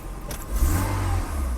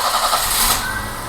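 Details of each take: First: BMW E30 after control module change, not yet retimed: throttle blips rise and fall cleanly, then an even, smooth idle with no stumble; control module was the fault. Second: BMW E30 idling with a faint steady hum coming from under the distributor cap, after new cap, rotor and O-ring, during diagnosis of idle issues; cause not yet confirmed, possibly the distributor.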